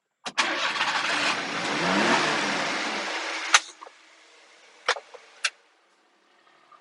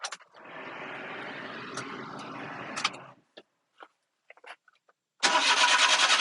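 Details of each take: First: Super-low-mileage Japanese import mini truck, apparently a Daihatsu, started in neutral: brief crank, catches at once with a clean, even pickup and settles quietly; normal start and idle, runs great. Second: Japanese mini truck just imported after eight weeks on the ship, unknown history: starter grinds about three seconds without catching, a few clicks, then fires and runs steadily; reluctant start.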